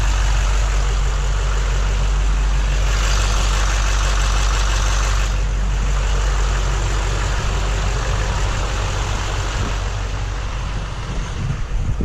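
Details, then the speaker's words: 2008 Chevy Silverado 3500HD 6.6 Duramax LMM right after fuel filter replacement and bleeding: steady, even diesel idle clatter with no misses or surges; fired right up, glow plug and fuel filter warning lights cleared. "Yeah. Fired right up. No check engine lights. I had 2 on before. One for the glow plug and one for that fuel filter."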